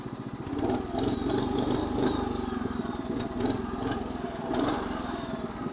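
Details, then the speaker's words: 1963 Bolens Husky 600 lawn tractor, about 47 years old, before restoration, getting a bit warm: small single-cylinder engine runs with an even, steady, fuller putter, no knocks or misses; it starts, drives and smokes but sounds healthy. "sounds like a cherry listen to her not exactly the dumb thing but fuller"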